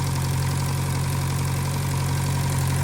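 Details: 1956 French-built Massey Harris Pony 812 tractor, Simca 9 gasoline engine, after fuel pump rebuild: smooth, even low-pitched idle with steady beat, no knocks or misses; running properly.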